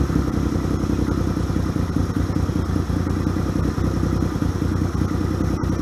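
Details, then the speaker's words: 1978 Yamaha XS750 Special, first start after a 3-week revival, on choke: crisp, even four-cylinder patter at a fast idle with no misfires or stumbling; running healthy. "I fucking love old motorcycles. They are so badass, especially when they wake up."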